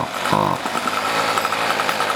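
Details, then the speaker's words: Cheap light home two-stroke weed eater, choked and warmed up: blips then sags into a muffled, struggling drone instead of revving out; bogs despite high and low idle adjustment, blamed on a clogged muffler spark arrestor screen. "Which that bogging noise on 4-stroke, 2 strokes, 4 strokes won't do it, but 2 strokes will try to clog up on the muffler, which allows air to go back through."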